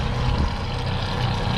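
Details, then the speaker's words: Twin Yamaha F200 outboards on a Jeanneau Merry Fisher 895, first start after 3.5 months laid up, oil checked clean: low steady even burble, telltales flowing, no hunting or misfire; normal idle. "Telltales kicking into life. Yeah, they're running okay. Sounding good. Fantastic. I've forgotten what they sounded like."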